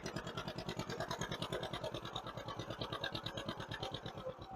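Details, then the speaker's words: 1958 John Deere 530, warming up and tuning a freshly rebuilt carburettor: slow, even chuffing at about three beats a second with a soft, lazy edge and a puff of black smoke. The carburettor runs too rich on the load side and needs slightly more idle fuel. "That puff of black smoke is definitely an indication we've got too much load fuel."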